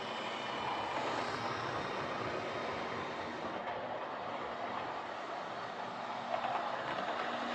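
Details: Old Lima Class 31 model locomotive in freight livery after overhaul with an extra pickup added on the front bogie, running on the layout: smooth, even whir with light rail clicking, steady speed, no pickup issues; normal running.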